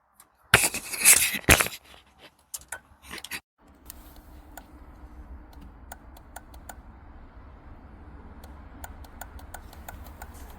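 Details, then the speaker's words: VW Lupo with dead batteries: faint uneven ticks from within the dash over a low hum. Hazard light relay suspected, but replacing the relay did not stop the ticking; source unconfirmed. "it comes from within the dash. The hazard light relay, apparently."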